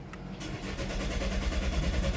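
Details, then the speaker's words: 2018 Chevy Malibu with a broken vacuum pump and earlier cam/crank correlation timing codes P0014/P0017. It cranks steadily but won't start; current codes show only low fuel rail pressure during cranking and air temperature. Crank, no start, low fuel rail pressure. "fuel re pressure load during cranking so yeah let me make sure we got let me make sure that's so the interesting thing is there's no timing codes at the moment so it's just fuel rail pressure and air temp"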